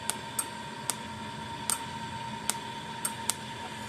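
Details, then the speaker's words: 40+ year old solid-state Blitzer Sting Ray electric fence charger, tested after repair: sharp dry snaps about once a second, slightly uneven, over a faint hum, with about a 1/8 to 1/4 inch spark gap. Sparking normally. "got about a 1/8 to 1/4 inch spark between it."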